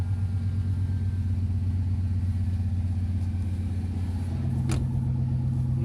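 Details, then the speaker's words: Chevrolet C1500 pickup, old truck, engine starting and running steadily right after fuel pump and sending unit replacement (pump reached through hole cut in bed); steady low drone with even pulses, smooth and healthy, no leaks seen. "okay let's see i think i hear it running here we go that was it"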